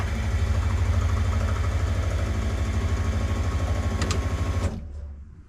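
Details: LS V8 in Nissan S14 first start after engine reinstall (pulled for oil leak), primed, fluids filled, no fuel leaks; deep, even idle pulsing about three times a second, no misses or knocks, then switched off; normal idle.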